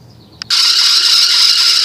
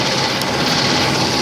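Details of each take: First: 1997 Nissan Pathfinder at startup/idle: loud harsh high-pitched squeal with rising and falling chirps, stops when water poured on belt; slipping serpentine belt, to be replaced. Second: 1997 Nissan Pathfinder after a noisy belt/pulley repair: steady, even idle with a smooth hiss and no squeal or chirp; the belt drive is quiet and healthy, though the owner notes another intermittent squeal, possibly the AC pump, not audible here.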